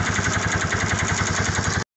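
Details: Piaggio 200cc scooter after starter motor repair (cracked magnet, worn carbon brushes): single holds a quick, even idle beat with no misses or rattles before cutting off; healthy running.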